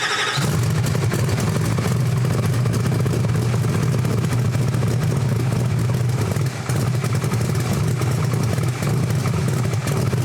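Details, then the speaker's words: Chevrolet Camaro ("Better Half"), rebuilt engine of almost 2,000 hp, during setup pulls: deep, heavy V8 drone held at a flat, constant pitch for ten seconds, never climbing; engine held down under load, reaching only 30 mph. "All right, so that didn't do it either. So it went up to a higher mile an hour. So I think I still have to raise my mile an hour because it only made it up to 30 mile an hour."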